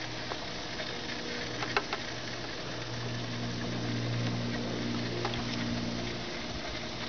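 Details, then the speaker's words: 2006 Prius inverter coolant system after drain and refill, power button pressed twice to run inverter pump without starting engine: steady pump hum with gurgling and bubbling as air bleeds out and reservoir level drops. "You'll hear a lot of gurgling, a lot of bubbling, and um the level goes down in the reservoir."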